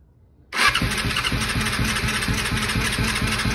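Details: 2000 Yamaha R6 after diaphragm replacement and carb cleaning, refueled, cranked with a little choke: sudden steady churning at about five beats a second that goes on without catching cleanly; the engine is reluctant to fire.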